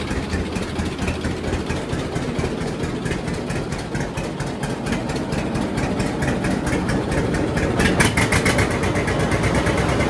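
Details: John Deere D two-cylinder tractor after regapping its Autolite plugs to about 0.030 in: a slow, even putt at idle with no missing or backfires, running properly tuned.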